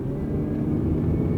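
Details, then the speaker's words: 2005 Honda Odyssey minivan, 231,000 miles, floored on the road: deep steady engine roar with even rumble, no knocks, slips or surges; smooth acceleration and smooth shifting, engine and transmission healthy. "it's got smooth acceleration. Nothing insane, but it is a big van, and that thing is shifting smooth."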